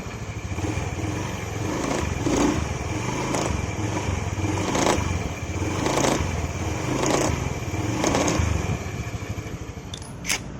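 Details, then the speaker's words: Honda Beat FI scooter on road test under pull-away or light throttle: uneven rattling clatter about once a second over the engine from the CVT; CVT cover bearing repeatedly fails within 2–3 weeks of replacement. "Jadi saat tarikan awal atau gas pelan itu bunyi kletek-kletek."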